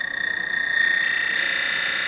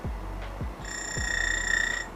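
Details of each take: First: DF64V V2 grinder with SSP High Uniformity burrs being zeroed at 1800 rpm: motor whine with a shrill pulsing chirp climbing in over about a second as the burrs touch, true burr rub (shimming), unlike the normal lower-burr settling sound. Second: DF64V V2 coffee grinder with SSP High Uniformity burrs, zeroed at 1800 rpm; thin, steady high whine over motor hum, then fades as lower burr settles onto the motor, not actual burr chirping; normal high-pitched grinder whine.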